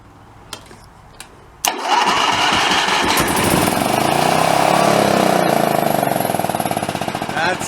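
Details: Onan 4000 RV generator with ethanol-gummed carburetor: engine catches after cranking, then runs rough and uneven, surging and hunting before faltering and cutting out; generator not putting out correct frequency, governor needed adjusting.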